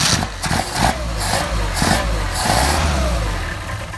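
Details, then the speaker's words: Mercedes 190SL with Solex carburetors, relatively warm weather, after clearing a flooded choke start: a few uneven revs, then steady even idle with no misses. "All right. Got a nice idle uh cold or you know, relatively warm out."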